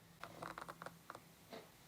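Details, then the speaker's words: Sigma 18-35mm f/1.8 lens autofocus heard through a camera-top microphone: short bursts of creaky buzzing clicks as the focus motor drives back and forth; loud but normal autofocus noise. "if i go quiet you can hear that creaking that's the sound of the autofocus motor inside the lens"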